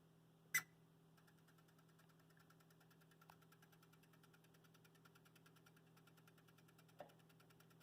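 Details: Broadway Limited UP 4-12-2 hybrid model locomotive, smoke switch and sound off: a faint constant clicking even at a standstill, then chirps synchronized to speed once it moves. The owner suspects a bad decoder or a mechanical problem.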